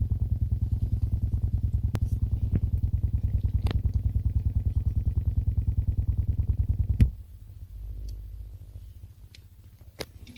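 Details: Xiaomi Redmi Note 2 through car stereo AUX jack cable: sharp low clicks about three per second for seven seconds, then stop; problem occurs only via cable, headphones fine.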